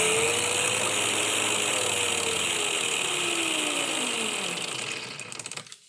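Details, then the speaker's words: LED-strip PWM dimmer (12–24 V, 30 A) used as a motor speed controller: high thin whine from the motor windings that slides down in pitch as the motor slows at minimum setting, then cuts off. The whine is inaudible at higher speed. "Tốc độ được điều chỉnh, nhưng cũng nghe thấy tiếng rít này. Đây, tôi đã bật ở mức tối thiểu. Ở đây không đủ dòng điện để quay ở mức tối thiểu. Nhưng có tiếng rít và cuộn dây của chúng ta đang rít."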